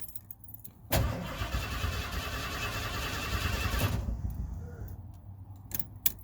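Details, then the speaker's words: 1991 Ford Bronco Custom 351 5.8L V8 cranks but won't start; battery tested fully charged, fuel pump heard priming at key-on; starter spins evenly for about three seconds without firing. Down for weeks, cause unknown. "nothing I can hear the fuel pump come on when I turn the key forward so I don't know what that is but he cranks but it won't turn over"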